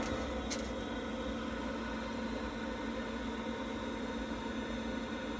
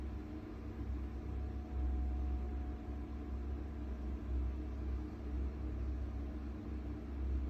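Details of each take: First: Worcester Bosch 30i ErP combi boiler, about five years old, after refitting the missing air intake silencer that had caused loud banging: steady soft hum and fan hiss, no bangs or thumps, now running normally. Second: Worcester Bosch 30i ErP gas boiler, about five years old, firing with a deep, heavy rumble that surges and fades. The customer reported loud banging and switched it off. Cause: the air intake silencer at the back was missing, likely fallen off or not refitted.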